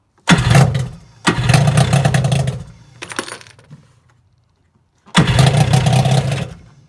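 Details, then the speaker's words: Kawasaki JS550 jet ski after fixing hard start by fitting a starter from a JS440: fires instantly on the button, short rev bursts, then fades out at a deliberately low idle setting; heavy smoke from earlier fuel priming. "Click of a button, just like this. Check it out. So I gotta set the idle is kind of low because I want it to die."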